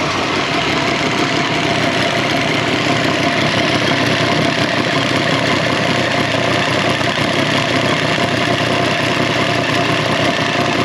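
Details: 2018 Triumph Street Triple 765 RS, about 20,000 km, idling: fast, busy metallic ticking from loose valve cover flange bolts. Tightening the bolts was the fix.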